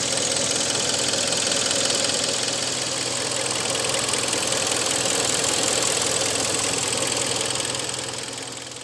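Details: 2013 Hyundai ix35 2.0 petrol G4KD, just under 100,000 km, after overhaul with cylinder boring for scored fourth cylinder: idles steadily with light even ticking, no deep knock; normal idle.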